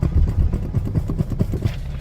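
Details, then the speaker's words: BMW 730d 7 Series diesel in for a broken coil spring and steering/suspension repairs. Dull low thumps knock through the car's rumble when driving forward and stabbing the brakes, not when reversing; suspension knock under braking. "if you drive the car so if you go forward and yeah stab on the brakes you can hear something knocking doesn't do it coming back"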